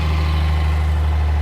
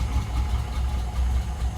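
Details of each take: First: Vintage Mercedes gullwing, old fuel being flushed out after revival; one spark plug found wet and carboned up; afterwards a steady, even low idle with no misses or stumble. Normal idle. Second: Mercedes gullwing freshly started after sitting, on a jump pack and fresh fuel: chuffing, lumpy idle that keeps dropping a beat, running on 5 of 6 cylinders. A fouled plug is suspected, and the plugs are to be changed to BP5s.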